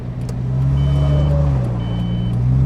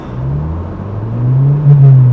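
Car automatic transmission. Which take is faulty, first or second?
second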